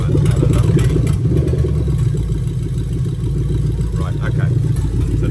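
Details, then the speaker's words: Lexus LS430 2000-2003 3UZ-FE VVT-i V8 with new harness at idle, oil control valve test on bank 1 forcing cam advance and retard; deep, uneven chuffing pulses about three or four a second, lumpy idle expected from the test. "Basically what you're going to happen is it's going to advance and retard the cam, so the engine's going to sound super lumpy. So when I do the test on bank 1, it's going to sound lumpy, and then I'm going to turn it off, it's going to go back to smooth."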